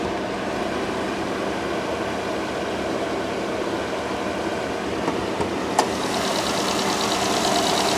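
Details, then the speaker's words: Small multi-air turbo car at a salvage auction, smoking heavily, with the clutch doing nothing (transmission or linkage suspected): even, settled idle with no knocking or misfire, just a faint click midway. The engine sounds normal. "that part sounds good yeah the engine sounds good the brakes feel good the steering feels good"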